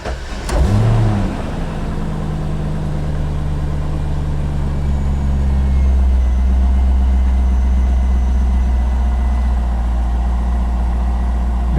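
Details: 1998 Corvette C5, first start after harmonic balancer replacement, battery reconnected, belts on, engine hadn't been running: short crank, catches fast, settles into steady deep even idle with no knocks or misses; oil pressure pegged; normal cold start.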